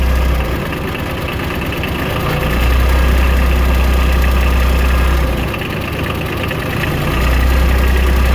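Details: Kubota RTV900 diesel after head gasket replacement and fuel system bleed, no air left: steady, even idle with low regular clatter and slight speed rise and fall, no smoke from tailpipe; normal idle.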